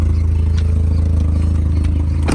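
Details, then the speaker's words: Five-speed manual with 2.0 four-cylinder engine idling, hood open: steady idle with a few sharp, isolated chirps on top, long present; owner suspects a bearing in the belt drive, not confirmed. "you can hear that you hear that chirp there is a bearing in the great chef place it's been like that for a while now"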